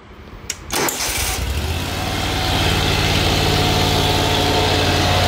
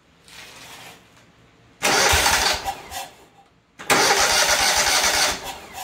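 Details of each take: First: Great Dane Chariot zero-turn, Kohler CV730 (Command Pro 25) twin with a cutting-off complaint, started in neutral with the seat down during reassembly. The starter cranks briefly, then the engine catches quickly and settles into a steady, even idle that firms up: healthy start. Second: Kohler CV730 twin on Great Dane zero-turn that cuts off, air filter pipe off: catches, runs about 1.5 seconds, dies twice; confirmed fuel problem, carb or supply side unknown.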